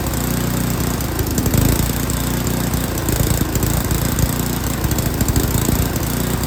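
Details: Yard King snowblower, full throttle, choke on; single-cylinder runs lumpy with stumbling firing, then steadies somewhat as the carburetor mixture screw is turned.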